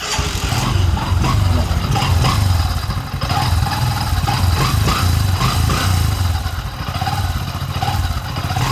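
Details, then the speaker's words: Honda CT125 motorcycle running: heavy low rumble with a faint wavering howl on top that gets worse when accelerating. The cause is a worn clutch housing and primary pinion gear, and both will be replaced as a set. "na kapag naarangkada siya, naalingaw-ngaw mga lodi. Kaya yun. Yun ang gagawin natin mga lodi dyan. Ang sira niyan ay clutch housing at yung pinion gear."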